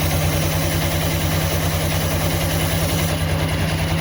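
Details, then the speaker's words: Honda automatic scooter after CVT repair with new rollers and shimmed sliders, earlier clattering from the roller housing on light throttle: steady, even idle with a regular low putter, no rattle or slap from the belt drive; noise improved, smooth again. "Sedikit sudah halus lagi."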